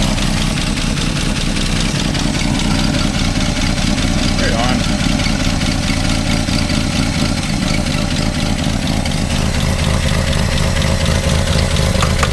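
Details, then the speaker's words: 1962 Plymouth Valiant, 170 Slant 6, 63,000 miles, abandoned 20+ years and seized days earlier, running on old varnished gas; steady quick idle with even low rumble, no misses; idle set too high, needs turning down. "foot on the gas a bit but see if it'll keep idling if I take my foot off seems to be there we go"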